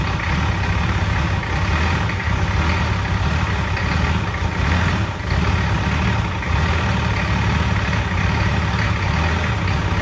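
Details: Deep, even diesel clatter at steady idle with gentle rhythmic pulse, no misses or knocks; first start of newly installed replacement engine in Nissan Patrol, radiator and fan not yet fitted; runs fine.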